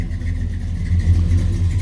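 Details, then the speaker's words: 1967 Chevy Nova SS clone V8 idling after start: low, steady, even rumble with no knocks or ticks, motor nice and quiet, good oil pressure, no smoke; normal idle. "The motor is nice and quiet."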